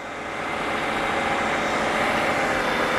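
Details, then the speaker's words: BMW N55 direct-injection engine (335i/535i family) during intake valve cleaning, spray cleaner fed into the intake with rpm held up: steady engine roar that changes in rpm and labours as the cleaner is ingested. "That's when the injection goes to the engine. You hear how the engine changed the RPM sound because of the heavy material."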